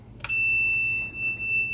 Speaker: it's gonna beep you'll see here that will will hear the buzzer continuity buzzer meaning that it's normally closed it has contact and want to add pressure it'll stop beeping